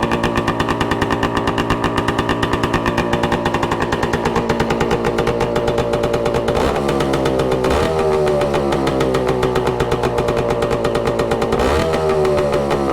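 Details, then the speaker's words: 1966 Suzuki Bearcat 120cc two-stroke, revived after sitting dormant: crisp, rapid ring-ding idle, even with a couple of light blips, settled once warm; runs clean, heated to locate a suspected leak. "Get some heat in so we can see if it's leaking and where it's leaking from. It's settled down a bit now that it's warmed up a little bit. Sounds good."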